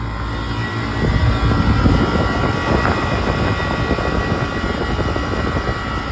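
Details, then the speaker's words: Walk-in freezer condensing unit (built 2013) running after a defrost-timer check: steady fan rush over an even compressor drone with no knocks or rattles; good sight glass with a slight drag of bubbles; normal running. "We got a good looking sight glass. Compressor sounds good, fans look good."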